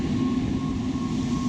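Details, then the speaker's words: Rooftop HVAC unit blower after remounting the blower wheel bearing housing, which had been held by one bolt with stripped holes, using newly drilled holes: steady hum with a faint high whine, no knocking or scraping; smoother operation now. "but at least the blower wheel's attached. They're never 100% smooth."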